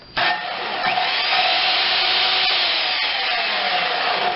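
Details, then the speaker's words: Skilsaw SPT77WML 7-1/4" worm drive circular saw from a pile brought in for repair, run on a GFI-protected outlet: spins up quickly to a smooth, steady high whine with no grinding or rattle; sounds like new. "Oh yeah, that saw's like brand new. I bet you that's one of the newest ones he owns. That one sounds perfect."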